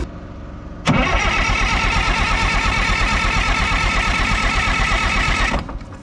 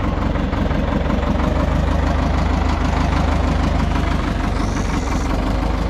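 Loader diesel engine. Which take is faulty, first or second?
first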